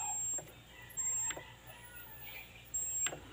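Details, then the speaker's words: Panatone CRT TV, display normal: faint high whistle in bursts when antenna connected and picture shown; loose, cracked flyback transformer is the cause, whistle stops when pressed. "So ayan, sumisipol naman siya kapag ikakabit ang antena, tapos may display siya, sumisipol."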